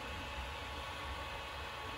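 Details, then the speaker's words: New Creality Ender 5 Pro 3D printer, printing a test print: steady whooshing hum with a faint constant whine while the motors and driver board are silent; the always-on, non-adjustable cooling fan is loud. "these motors and the driver board in this are silent shame about that fan though and that's not the fan you can turn off which is a shame it's not even speed adjustable"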